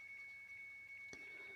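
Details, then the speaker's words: Samsung washing machine, door switch sensor checked and intact: pressing start gives only a thin, high, repeated "ting ting" tone and the machine never runs; other buttons work, control module next to be opened. "tetap ya kita hidupkan masih bunyi Ting Ting Ting ya"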